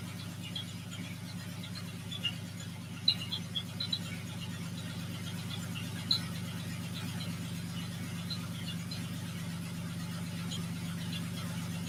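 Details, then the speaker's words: Porsche 914 with Honda J-series engine swap, first fire: steady low idle with oil pressure, light irregular ticking and faint clacks on top; owner hears tapping, source unclear. "yeah we have oil pressure it sounds like i'm getting i'm getting tapped i don't know if you guys can hear it over the microphone"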